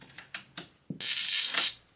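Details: Mid-80s Murphy 2201ST CRT television, powered up after decades in storage, with a burning smell: sharp snapping cracks, then a hissy crackling burst. High-voltage arcing from a flyback transformer leaking through age-cracked plastic.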